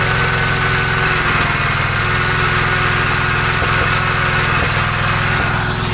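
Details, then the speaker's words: 1956 Gravely L single-cylinder after head gasket replacement and torquing the head bolts (carburetor ruled out): steady fast drone with sharp exhaust pops about once a second. It no longer stalls dropping to idle; popping cause not found. "Well, it's a little better. It doesn't stall out when you bring it from high speed to idle. Still popping, you can hear it, but at least it's not stalling."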